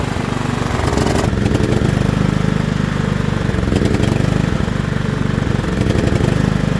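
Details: John Deere L110 lawn tractor that sat 3 years: smooth, continuous low putter at a settled idle, no stumbling or surging; running normally.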